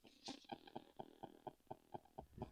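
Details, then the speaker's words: Fake JBL Flip 6 Bluetooth speaker, playback paused: buzzy putt repeating about four times a second, horrible unwanted noise; source not pinned down. "get that horrible noise. Yeah, I mean, the sound is not that brilliant. It's quite tinny."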